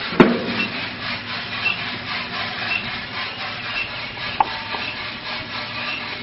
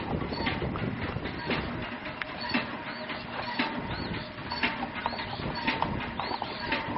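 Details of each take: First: RK Drums 4 lb drum on a gas grill, just loaded with 4.75 lb green coffee at about 600 degrees and motor switched on; continuous dry rustle and rattle of beans rolling, no scraping or binding. Normal tumbling. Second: Empty RK Drums 4 lb drum turning on the motorized rotisserie during gas grill preheat; about one dull knock a second under the gas and motor hiss as the drum flops loose on its rod. Harmless; center-punching the flange tightens it.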